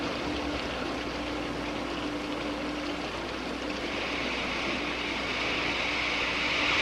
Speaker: These patches that form are actually steam. This is cavitation. When the absolute pressure goes below the vapor pressure of about 1 inch of mercury, boiling occurs.